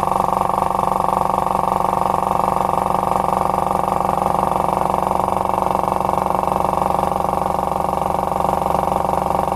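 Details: Electric paint compressor after repair of the fault where a bang left it idling at zero pressure: steady even drone, regular pulse about three per second, no knocks or rattles; running normally.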